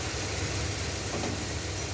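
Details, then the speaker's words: V8 idling after its hydroboost brake booster and power steering were bled: quiet and steady, no chatter when steering or braking, no bubbles in the reservoir. Reluctance to take throttle is suspected to be bad gas. "There's no bubbles in the power steering reservoir and it doesn't chatter when you steer it or when you put it on the brakes."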